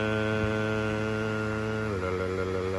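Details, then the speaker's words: 1966 Ford Thunderbird at idle: wavy idle hum that shifts pitch and settles at a different speed when the brake pedal is pressed; brake pedal also soft; owner told it may be a vacuum issue, cause unconfirmed. "also my idle is still kind of wavy and then when I press down on my brakes I hear my RPMs change it'll be like"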